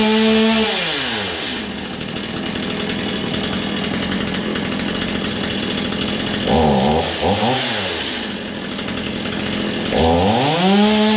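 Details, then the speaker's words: Old, low-hour Stihl chainsaw after its first start: a crisp two-stroke buzz revs up cleanly, settles into a steady run, then revs again with no misses. It is running fine. "but begawley i think for a free saw she'll run ain't nothing wrong with that"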